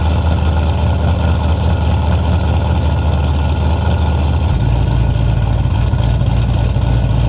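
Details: LS V8-swapped Nissan S14 240SX, first start after install with the new exhaust and a temporary silencer fitted: deep, steady V8 rumble at idle, settling slightly lower after a few seconds, even firing with no ticks or knocks; normal healthy idle.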